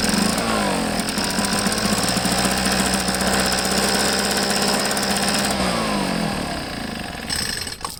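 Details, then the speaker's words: Echo PB500H blower with a replacement carburetor: rough, uneven two-stroke burble at high revs that sags and fades out, smoking heavily; running rich as the carb dumps fuel, probably a faulty carburetor. "um yeah it's just running rich it's just dumping a lot of fuel in there so it's probably most likely this uh carburetor i got for it's no good"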